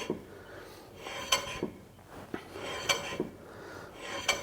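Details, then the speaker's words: Citroen C1 brake turned by hand: harsh metallic scrape about every 1.5 seconds; dragging brake, suspected sticking slider or caliper piston jammed out, parts had overheated. "It's going to be one of these sliders hanging on, or the piston on the caliper's actually jammed outwards."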